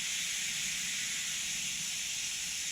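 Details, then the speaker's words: Twin-turbo C6 Corvette Z06 new engine at 500 miles, leak-down test on cylinder two, engine off: steady high-pitched whistle from a cheap loose tester fitting, not the cylinder; leakage very low. Air leak at tester fitting. "that whistling you're hearing is just from my crappy harbor freight fitting here"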